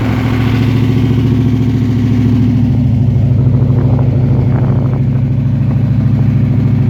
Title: TVR SEAC Wildcat 5.3 misfire